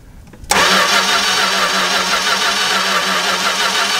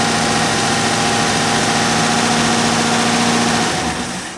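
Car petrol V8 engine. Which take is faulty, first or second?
first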